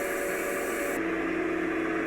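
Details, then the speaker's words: Small backup DC-powered water pump on a rainwater filtration system in service over a decade, after air bled and valves opened: even electric whir settling lower as pressure climbs, current rising about 8 to 10 amps; normal running. "There's our pressure climbing. Pretty good. 8 amps. 9. 10 amps."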